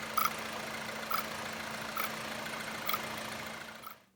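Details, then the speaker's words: Car engine at idle with normal steady rpm and no misfires: sharp metallic raps about once a second from the top end; top-end rattle, suspected lack of oil or possibly timing, not confirmed. "wow that is that is a heck of a noise on the top end that engine I'm surprised as running and and not misfiring at all"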